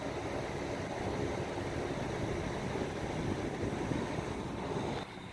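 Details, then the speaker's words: Rheem gas pack package unit, which makes a loud sound at every start, thermostat wires disconnected and the unit jumped to test its sequences: blower fan gives a steady, airy whoosh with no rattles or squeals, running on after cooling, then dropping off; normal. "here's you hear the fan running and that'll run for any determined time whatever the board wants it to"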